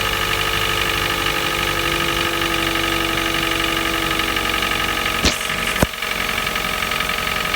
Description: Стук двигателя 1nz fe на холодную каждое утро, через несколько минут пропадает, может немного побрякивать на очень прогретом моторе после 2-3 часов по городу.